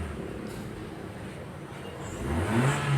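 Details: Ford sedan after work on heavy engine vibration and poor power: quiet idle, then a firm rev near the end that picks up cleanly with no stumble. Engine now responding strongly.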